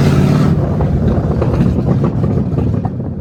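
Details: Ford Mustang drift car running with the exhaust removed while the H-pipe is replaced to cure a check-engine light: a deep, loud, raw blatting rumble straight off the manifolds, open exhaust.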